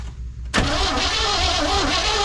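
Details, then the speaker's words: 1979 Chevy C10 sat 5 years, fresh fuel added, key on with power at coil: starter spins steadily with hissy whirring churn but never fires; no spark, traced to damaged wires from the ignition or control module. "Alright, why are we not having sparklation now? Is the key still on? Alright, we got power to the coil. Apparently we're not getting any spark from..."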